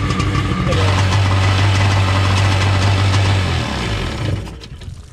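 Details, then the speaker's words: 1995/96 Seadoo XP 800 two-stroke idling after a starter repair, during carburetor tuning, with a wiggle test: steady low drone with an even fast beat, about four pulses a second, holding smooth before dying away, a normal idle. "Little wiggle test. I don't know, it seems pretty happy. I kind of want to take it out and just run it out."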